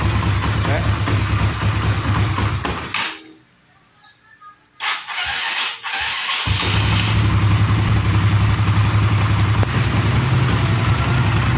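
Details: Honda CB150R/Sonic/Supra GTR-type single-cylinder engine after camshaft top-timing setup and refitting: thumping settles into a steady, even idle after a short stop and restart, no knocks or misses. Healthy, normal idle.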